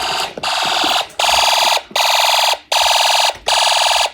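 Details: Snap Circuits fire alarm system, test 8: with the horns turned back on, pulling the fire alarm pull station sets the horn off. Loud shrill blasts repeat about 79 times a minute with short regular gaps, and the alarm sounds normally.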